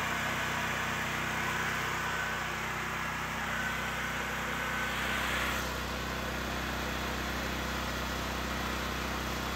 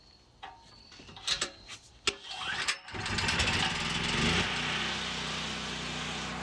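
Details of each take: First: Generac GP6500 generator with the COSense module disconnected to stop it shutting down after starting: a steady, even drone with no surging or hunting, running normally, though it now can't be switched off. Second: Generac GB6500 generator with COSense: a few pulls, catches and runs steadily, then the CO-sensing module light flashes about three times and the engine quits; engine stalls shortly after starting due to a faulty CO sensor module.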